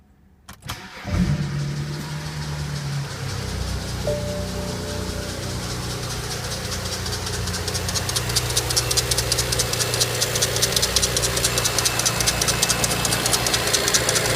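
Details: BMW E90 335i N54 on cold start: cranks, catches and settles into high cold idle with a fast, dry ticking, knocking, crackling rattle over it; cause suspected, not confirmed.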